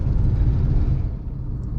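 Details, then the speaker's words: Manual car in city traffic, just shifted from third to fourth gear near 50 km/h at about 1500–2000 rpm: low, steady, unstrained drone at moderate revs under light load; normal cruise. "और इस गति सीमा में, मेरी car की RPM सीमा लगभग 2000 है।"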